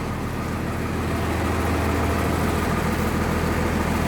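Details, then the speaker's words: 1996 Blue Bird diesel bus at cold idle with interior stripped: low steady rumble with slightly rough, shaky undertone and rattling fittings; normal cold-diesel vibration that lessens once warm. "you can hear more vibration now because everything's out of it when it warms up it won't shake as much but when it's cold it's really gonna shake just the way diesels are"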